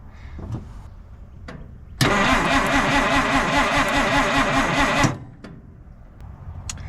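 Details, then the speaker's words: Engine in a 1950s Dodge Meadowbrook, on the 6-volt system, after running briefly: about three seconds of steady, even starter cranking but it never catches; owner suspects fuel starvation from a dried-out fuel pump diaphragm. "Okay. H cuz it seems like it's running out of fuel."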